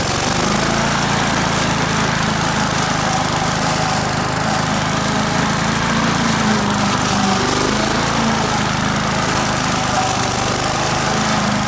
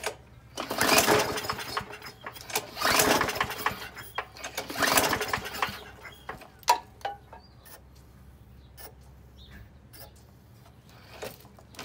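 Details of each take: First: Australian-built Rover four-stroke mower after governor spring straightened: steady, even drone with no misses, surging or knocks; runs smoothly and sounds healthy. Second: Australian-built Rover four-stroke mower, first start after sitting on its side cylinder-head down: repeated recoil pulls, engine spins briefly but never catches; spark plug found covered in oil, crank no-start from oil-fouled plug, cleaned plug and cylinder.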